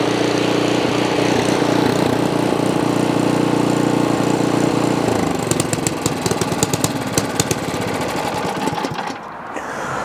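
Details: Ariens Path Pro 208cc four-cycle single-stage snow blower, started with key on and primer used: it fires and settles into a steady, even buzz with no hunting or surging. Normal running while warming up.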